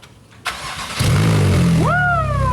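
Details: Wrecked Porsche 911 Turbo flat-six, restarted after clearing oil hydrolock from pistons: catches on second try, smooth deep run, rising whine climbing with revs, smoking from burning residual oil; sounds healthy.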